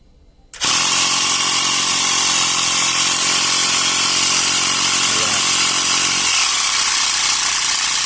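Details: Portable 12 V tire inflator pump after repair (piston cylinder sprayed with silicone, broken wire cut out), now building pressure to about 11 bar: abrupt start, then loud, steady, even running with a smooth hiss and a slight tone drop as pressure builds; sounds healthy.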